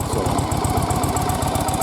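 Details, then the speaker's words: Restored ~40-year-old Yamaha XV920R chain-drive Virago V-twin at idle just after start-up, rebuilt after a leaky motor and low miles: an even, lumpy, uneven-firing beat with no knocks, ticks or misses; sounds good, carbs still to be set up. "great looking bike, sounds good. Not too many miles on it."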